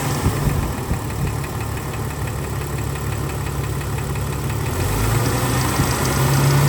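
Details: 2000 Jeep Cherokee XJ 4.0 warm idle after about 20 minutes running: dull, hollow knocking keeping pace with the engine and not fading, though it normally goes away when warm; piston slap.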